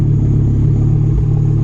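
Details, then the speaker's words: Five-cylinder VW Golf RS, started after sitting with a possibly weak battery. Loud, deep idle with a faint stumble; slight misfire. Vacuum reads only about -5 inHg and there is a strong fuel smell. "i'm trying to imagine my the gray are the gray art would not be this loud just idling like that it is misfiring a little bit"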